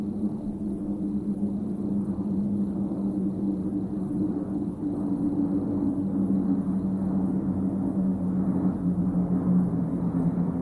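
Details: Airbus A320 heard from the ground over southern Germany, descending to approach altitude toward Stuttgart: a steady, low two-tone howl drifting slightly in pitch over distant jet rumble, normal sound of the FOPP (Fuel Over Pressure Protector).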